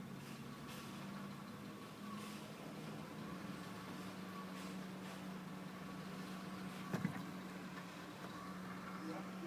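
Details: 2000 Honda Accord petrol engine at idle with a misfire on all cylinders code, coil packs already checked: a low steady hum broken by sharp, irregular pops and stumbles.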